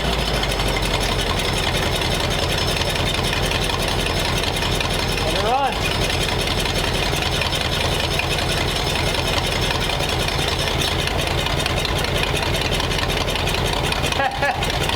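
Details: Dense, steady low putter with an uneven, lumpy idle; ignition timing suspected off, cause unconfirmed.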